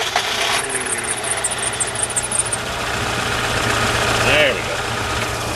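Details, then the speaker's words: Hyundai just after cold start: idle low and lumpy, sagging as if about to die; owner suspects not enough fuel when cold, idle air control not raising idle; stall-prone. "so that's what it needs more fuel when it's cold anybody can answer what I have to do to make it get more fuel when it's cold wouldn't have to come here every morning and start it up and watch it Stall"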